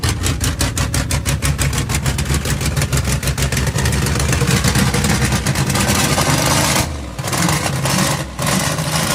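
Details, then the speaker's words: VN Calais first start after a build, base settings and idle being set before the dyno tune: the engine catches and settles into a fairly steady idle with light revs and a couple of brief dips; normal idle. "It's such an awesome sound just to hear it idle for the first time."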